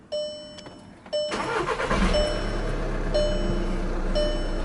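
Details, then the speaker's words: VW Golf/Jetta TDI diesel, manual in neutral with clutch in, started after a fuel filter change and fuel system bleeding: chime beeps, brief crank, then a steady even idle clatter with no misses, leaks or metallic noises; normal start. "right, so we got the car running now. And nope, we're good, guys. No leaks, nothing, no weird noises, no metal on metal, weird sounds, anything."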